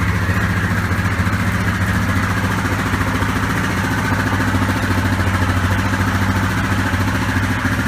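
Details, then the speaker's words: Yamaha Grizzly 660 ATV started right after a new throttle cable was installed: even single-cylinder thump at steady idle, about three or four beats a second, no misfires or clatter; normal running. "sounds like it just's working good down baby"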